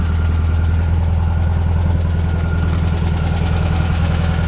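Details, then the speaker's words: 1978 VW Super Beetle convertible, fuel-injected air-cooled four, running: even, steady low chuff at idle with a regular firing beat, no tapping or stumbling; engine described as peppy and running great. "This little engine runs great."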